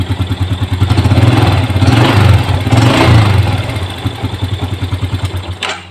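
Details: Yamaha Jupiter Z1 with a weak-starting complaint blamed on a weak battery; here the starter catches quickly, then a steady single-cylinder beat about three per second until shutoff; starts and runs normally.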